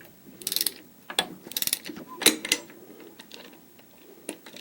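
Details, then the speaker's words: Opel A18XER engine torn down for heavy oil consumption and knock: turning the camshaft by hand with a 24 mm wrench gives irregular sharp clacks; exhaust cam phaser has free play, camshaft moves while its gear stays still. "видите клацает и вот такую вот стуку человека противный"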